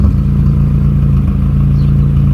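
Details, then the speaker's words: 1996 Honda Prelude Si with a random misfire, after wire-brushing corrosion in the distributor: uneven, stumbling beat at idle after revving, with belt squeal on start; still misfiring but less badly, and a distributor replacement is awaited. "Let it idle down. Oh, it's still misfiring. Not quite as bad though."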